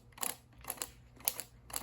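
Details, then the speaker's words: Mallory dual-point distributor for a rebuilt MGB four-cylinder engine on a test stand, turned by hand with the circuit closed. Crisp paired snaps about twice a second, clean and regular, with a blue spark firing: normal ignition spark. "There, this one is actually firing. I can see a blue flame."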